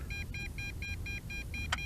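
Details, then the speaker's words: MJX Bugs 3 Pro GPS drone at about 1 km range, transmitter with antenna mod and 2 W booster: short high beeps repeat about four times a second over low rumble, max-distance failsafe warning as it returns home. "and it is constantly beeping so it is on its way back so right around one kilometer"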